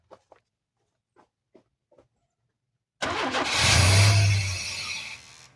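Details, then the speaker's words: 1991 Chevy S10 that fires and idles only while bottle-fed fuel, with no fuel coming from the injectors; timing sounds good. Quiet, then a loud burst that fades over two seconds as it starts and dies from fuel starvation. "Guys, well, I've made a discovery. It'll fire up and it'll hold it idle as long as you're just bottle feeding it. But I'm not getting any fuel out of the injectors."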